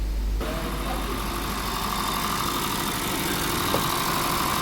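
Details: 2014 Honda Vezel idling with flashing check light: uneven stumbling beat, codes for cylinders 1–4 and random misfire (P0303); coils and plugs already checked, fuel injectors blamed.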